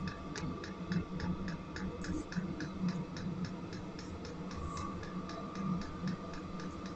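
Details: Chinese AliExpress Webasto-style diesel parking heater, just after a disconnected fuel hose was reconnected, exhaust starting to give off heat: quiet, crisp ticks about three a second over a faint hum; dosing pump feeding fuel normally.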